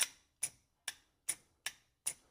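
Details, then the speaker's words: CUCV 6.2/6.5 diesel glow plug system, light blue control wire grounded to bypass the controller: sharp, evenly spaced relay/solenoid clicks, two or three a second, as the glow plugs are energized. "Ground the light blue wire, which is doing this right here. You get glow plugs. You can hear it"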